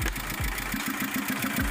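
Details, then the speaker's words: Mitsubishi Strada Triton 2.5 diesel after a snapped timing belt, restarted with the new belt and tensioner fitted: uneven, lumpy, stumbling idle with dropped pulses, sounds like valve leakage pointing to bent valves; valve cover to be opened to check rocker arms. "coba kamu dengar berarti suaranya seperti ada kebocoran klep ini menandakan klepnya bengkok"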